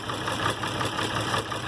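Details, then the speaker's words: IH Farmall 706 with a new carburetor, throttle pushed fully closed after idle adjustment: a slow, uneven idle, barely holding on and close to stalling. Idle speed set too low; mixture not yet tuned. "See, now I can push this down. Yeah, it's still not at a happy idle. And it might not be."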